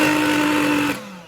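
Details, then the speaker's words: Aged Black+Decker Dustbuster 16V CHV1410L cordless vacuum: harsh rough high-pitched whine under a gritty roar, winding down at switch-off, with a bad smell; abnormal motor noise, brush problem suspected. "it's making a horrible sound and it smells terrible. So something's going on with this motor."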